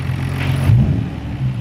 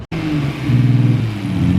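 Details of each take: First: 1990 Nissan R32 Skyline GT-R RB26DETT after new fuel filter, spark plugs, coil packs and rechecked injectors to cure misfiring: deep, even note with quick blip, no stumble or miss; sounds healthy. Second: 1990 Nissan R32 Skyline GT-R RB26DETT inline-six, first start after fitting new injectors with factory fuel rail, runs unevenly with a stumbling pulse; suspected misfire, injectors being rechecked before coil packs, later runs properly.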